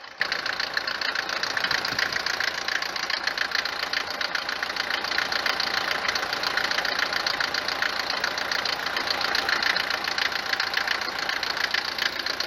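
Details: Mercedes 190 diesel, normal 4-cylinder, cold morning idle, recently switched from 15W-40 to 10W-40 oil, no oil consumption: hard, sharp clatter about 3.5 knocks a second, louder than normal Mercedes diesel knock, easing as it warms; cause unconfirmed.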